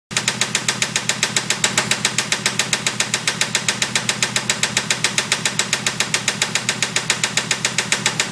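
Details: 1992 Formula 350 engine running with steady, sharp, very even ticking knock about 146 per minute; suspected rod knock, cause unconfirmed.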